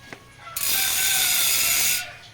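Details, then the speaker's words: Bicycle rear wheel on Cole WRX rim, freehub with 6 pawls and 3 teeth, no tire fitted: loud fast even buzz of pawl clicks for about a second and a half as the wheel spins, fading; healthy ratchet. "So yung hubs na to is 6 poles, 3 teeth ang specification. So medyo malakas talaga yung ingay ng free hub body."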